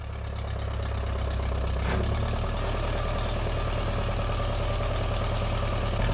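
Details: Low, steady engine rumble settling into an even idle with no misfire on a 1956 Case 420B backhoe, now running after flattening a bent crown-shaped washer under the distributor's plastic rotor that had caused no spark.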